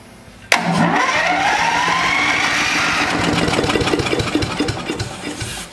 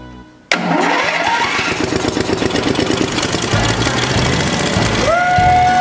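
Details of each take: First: Neglected DR leaf vac small engine started on carb cleaner spray: it catches, runs ragged and uneven for a few seconds, then fades; carburetor problem, water suspected, and the bowl was found corroded. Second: DR leaf vac engine, bought with missing parts, first start after being sandblasted, with the air cleaner still off: it catches at once after a short crank and holds a steady, even run with no misfires or knocks; runs normally.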